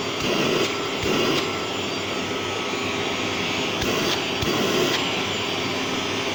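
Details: Old Gerer8 Power MAX 2000W vacuum cleaner on low setting: steady even whoosh and motor whir, no surging, rattles or grinding; healthy motor.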